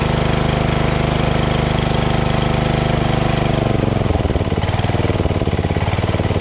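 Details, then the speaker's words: Craftsman LT2000 lawn tractor repowered with a Briggs 14.5HP SOHV single after sump gasket repair and new battery, just started; strong, even low throb at steady low throttle, no knocks or misses; normal running. "very stoked that it just fired up just like that no problem you know"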